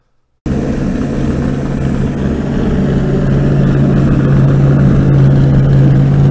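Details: International UD-16 diesel power unit on a 1945 Chevy truck, after injection pump fuel system work: steady starter drone turning over about three a second, engine never fires or catches; cranks but no start.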